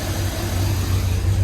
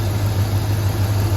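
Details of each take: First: 2nd-gen Dodge 5.9 truck with a nearly new battery, idling with the A/C on while voltage drops to 10.5 V and keeps draining: deep, wavering, stumbling idle that runs very rough from a failing alternator. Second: Second-gen Dodge 5.9 V8 truck with new battery, charging at 14 V, A/C off: steady, smooth low rumble with even firing and no knocks or whine; after rough running and 10–11 V readings, it now idles normally.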